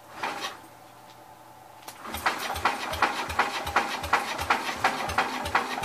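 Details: Old Cub (1953 or 1963) engine, long sat, dust inside, carburetor stuck: starter chugging about three compressions a second, no catch; cranks but won't start, owner plans to remove intake and spray directly.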